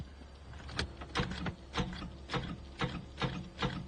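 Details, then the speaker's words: Abandoned 1985 Chevrolet Camaro IROC-Z Z28, sat 10+ years in a field, after it idled high and died; rapid uneven clicks, two or three a second, with no cranking; starter clicking, no crank; owner then adds a jump pack for extra voltage. "Okay, it's just clicking now."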